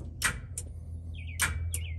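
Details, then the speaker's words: Holley Terminator X-controlled trans brake on an S10 with the ignition on: sharp clicks as the solenoid pulls in and releases over a quiet idle hum, and the solid state relay lights up. The trans brake is engaging normally. "can hear the trans brake and you can also see the solid state relay light up"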